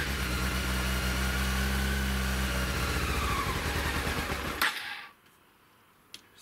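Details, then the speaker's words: Honda CBR 600 fuel-injected engine, airbox off, cleaned, owner believes it was running on fuel; catches and runs a few seconds with a rough, rapid rattle over the note, then stalls to silence; cracking noise cause unknown. "there's that noise again so it ran stalled and i was definitely running on fuel and then you've got the cracking noise again"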